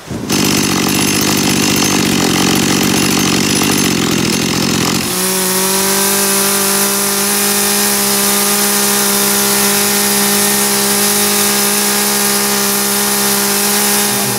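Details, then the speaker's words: Dolmar chainsaw after its carburetor was cleaned, at full throttle while the H screw is tuned toward about 12,350 rpm (limit 12,800): rough at first, then a clean, high, steady scream. Top-end mixture set correctly. "hier müsst ihr einfach testen testen testen und dabei ist es wichtig Vollgas zu geben"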